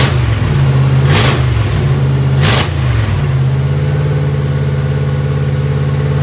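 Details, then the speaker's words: 1955 Chevy before its Magnaflow mufflers were fitted, running with no mufflers: a raw, loud, blaring idle rumble with two sharp throttle blips. The harsh, uncontrolled, demolition-derby-like exhaust was later quietened by the mufflers. "this right here is before we put Mufflers on it it definitely had a very stock engine sound to it or like a uh as Jesse says demolition derby car and we definitely want to fix that"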